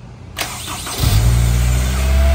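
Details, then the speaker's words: Honda S2000 with newly fitted starter replacing the worn one: quick strong electric whir under a second, engine catches and settles to a steady idle; starter working normally. "the new starters just sounds so sweet that just sounds really nice don't it that new starter it's got such a nice electric motor sound"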